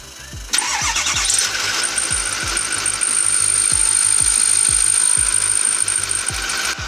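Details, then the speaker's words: Ford 6.4 Powerstroke diesel, recorded at the front near the alternator and belt: a thin, steady high-pitched ring over the diesel clatter, lasting about six months. Owner suspected the power steering pump, the alternator, then the belt; the finding is tensioner pulley ringing. "ringing noise drives me nuts it has to go off like six months so let's swap out the belt hopefully that fixes it"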